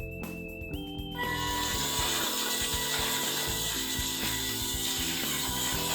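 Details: 3D-printed rocker-bogie lunar rover driving on its own in a backyard: quick, even gear whir with light regular clicking and steady motor pitch; normal drive gear noise.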